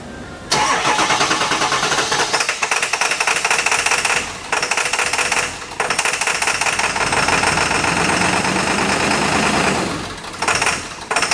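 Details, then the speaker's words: Ford 7.3 Power Stroke diesel with P1316, hard start and no power: runs on only four cylinders, idle sagging and flaring as injection pressure regulator struggles; suspected disconnected injector wiring harness under valve cover. "if you get the p1316 code and your truck as it starts you you hear a sound like this it's starting on four cylinders so we know we've got a problem this is the sound that's common"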